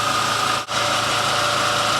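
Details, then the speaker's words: Main house generator that had shut down and spewed oil: now running under the house load with a steady, even drone and no surging or hunting, running really good. "But apart from that, the thing is running really good."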